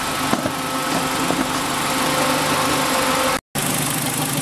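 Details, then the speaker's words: 1997 Renault Twingo 1 at idle after a coolant drain and refill (coolant was 3 years old): both cooling fans run, then finish cycling, all good. Steady even whoosh over a smooth idle, no rattle, scrape or wobble; normal cooling fan operation. "il vient de finir de tourner donc c'est nickel je suis super content"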